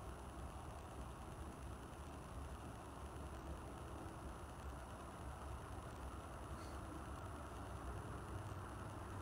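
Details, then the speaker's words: Montgomery Ward 36" industrial ceiling fan running after stepping down through speeds 5 to 1: steady even whoosh and low hum, no clicks, rubbing or wobble; normal running, silent bearings, well balanced. "You can hear silent bearings. Very well balanced."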